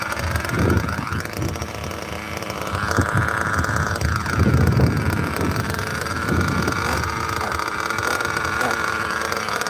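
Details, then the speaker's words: 27-year-old vintage nitro RC car just started: buzzy engine revs unevenly, pitch sagging and sputtering each time throttle is opened, choking and bogging; owner suspects something was in the exhaust. "sounded like it was choking or something soon as I try and give it any gas it just choke"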